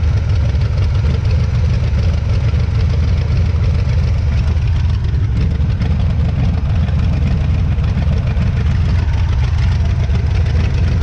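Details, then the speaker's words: 1977 Pontiac Firebird V8 revived from a scrapyard after sitting over 36 years: a deep, steady idle with an even low rumble and no knocks or misses; the old engine sounds healthy at idle. "but I mean for 600 bucks from the scrapyard that thing sounds good"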